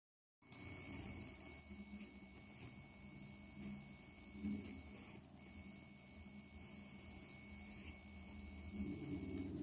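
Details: PC speaker output recorded with high-gain input and sounds muted: a faint steady high-pitched whine and scattered chirps under a low hiss; CPU or RAM suspected. Electrical noise, "solved" by switching to optical output into a FiiO Taishan DAC.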